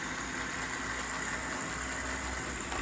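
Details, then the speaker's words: Proto 2000 model locomotive test-running on track; steady buzzing whine with faint higher tone, runs fine but noisier than usual for the model; owner suspects it needs cleaning, lube and run-in. "actually quite noisy for a Proto 2000 need a bit of a cleaning lube and a bit of a run cuz I've had protos much quieter than that one"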